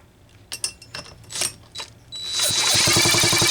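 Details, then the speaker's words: Homelite Super XL-925 chainsaw, capacitive discharge ignition being diagnosed, spark test while cranking, possible debris altering the spark path; a few loose clicks, then fast regular sharp snapping about four per second, good spark. "some sort of debris in here that's altering the spark path but I can sure hear it's snapping"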